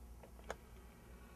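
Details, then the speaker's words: Bugera 333XL guitar amp: background hum then a sharp relay click with a fainter one before it, channels switching on their own; caused by faulty front-panel momentary switches, not the replaced power regulator transistor. "the relay is just shorting out"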